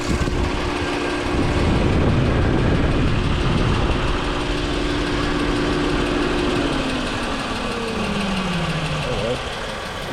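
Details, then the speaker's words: 2009 Chevy Equinox after engine coolant temperature sensor replacement, idling warm: fan switches on at 101 °C, steady fan rush over smooth idle, then winds down and stops as temperature drops to 94 °C; normal cooling fan cycling. "Alright, so it's 101 degrees Celsius. And the fan is on."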